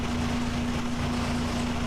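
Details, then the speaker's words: 1996 Mazda Miata idling after SeaFoam cleaning of the throttle body and intake and a MAF clean. Smooth, quiet, steady low hum with no surging or wobble; owner says it is smoother and quieter and no longer wiggles. "d i can tell already it's running better than it was when i started it's smoother it's quieter it doesn't wiggle"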